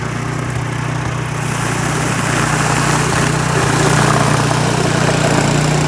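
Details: Troy-Bilt snow blower that would not start, after cleaning out an animal nest, refitting linkage and priming: small single-cylinder engine runs steadily at about three and a half beats a second, picking up slightly and staying smooth; healthy running.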